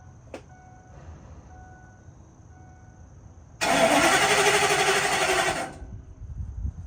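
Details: 2004 Ford F-450 V10 with new fuel pump and no OBD2 communication: starter turns steadily about two seconds but never catches; crank no start, no power to fuel pump.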